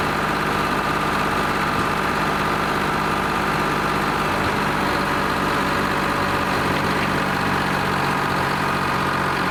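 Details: Lima 34 shovel, first start-up after repairs (throttle, push-to-stop fuel shutoff), before greasing and digging: smooth, even diesel idle with a steady low drone and no knocks or misses; the engine is running healthy.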